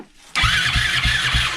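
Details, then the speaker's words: 2006 Suzuki LTR450 quad on a jump pack, after a new starter and fixing a smashed fuse that made poor contact: about four even cranking thumps, then it catches cleanly with a crisp steady note. Healthy single-cylinder start. "sounds really good yeah really good"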